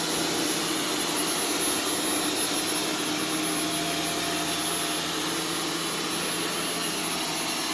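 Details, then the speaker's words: Arm & Hammer vacuum booster powder used on carpet, vacuum on carpet mode: strained, airy roar with a choked, breathless edge and unchanging pitch as the filter clogs with fine powder and starves airflow; some powder reached the motor. "sounds like it's choking what it sounds like it's choking probably because it is"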